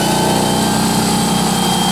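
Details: Harbor Freight Central Pneumatic 10-gallon or Home Depot Husky 30-gallon home-garage air compressor filling its tank: fast, even chugging over a steady motor hum with no knocking or squeal. Normal running.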